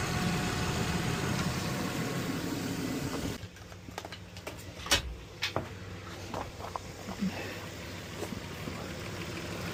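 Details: 2005 Nissan Frontier idling on a cold windy 36°F day after fan clutch and positive battery terminal replacement: even steady rumble with no ticks or knocks, then a few light clicks; thermostat found not opening.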